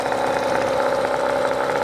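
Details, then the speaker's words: Hangkai 18 hp two-stroke outboard, brand new, first start in the backyard on premix: small two-stroke buzzing at a steady, even idle with no knocks or misses while checked for leaks; sounds healthy, normal idle. "It's just started up. Yeah, that already feels cooler. Okay, that's good. I just want to check for any kind of leaks, oil leaks, fuel leaks. water leaks, anything. It sounds pretty good."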